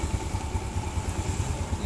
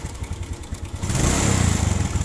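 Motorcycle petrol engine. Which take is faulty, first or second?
second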